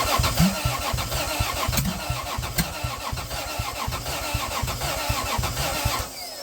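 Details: Toyota 2JZ in a Geo Metro, first start with adapted Chrysler slant-6 distributor, GM HEI module, Ford Duraspark coil: uneven stumbling chuffs while cranking, distributor set for wrong (counter-clockwise) rotation so only cylinders 1 and 6 fired.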